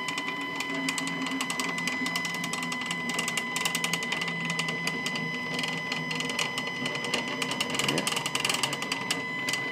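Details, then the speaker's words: Stepcraft 840 CNC, new machine during setup, axis homing: a buzzy, chattering whine with quick uneven ticking three or four times per second; noisier than it should be, cause unclear, owner plans to contact the maker. "man I haven't had CNC machines before but I'm pretty sure they're not supposed to sound like"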